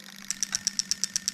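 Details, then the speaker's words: Toyota Altezza JZX100 3S-GE with a new plug-and-play harness and R154 gearbox, on test: injectors 1 and 2 at the front click crisply and evenly about eight per second, firing normally. "So we've got injector 1 at the front, can you hear that clicking away? Injector 2, that one's clicking away."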